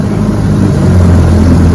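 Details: Fully restored 1958 Johnson 18 hp FD-12 two-stroke outboard on a lake test run: loud, steady low drone with an even beat, no stumbling or rattles; runs normally.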